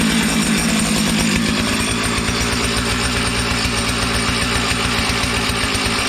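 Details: 455 Rancher 55cc X-Torq chainsaw, warm, after repair: strong, even high-revving buzz holds steady with no stumbling or surging; running cleanly.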